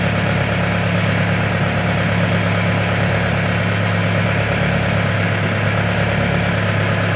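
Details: Diesel genset, earlier low oil pressure shutdown alarm: constant low even drone, no knocks, misses or surging; idling smoothly.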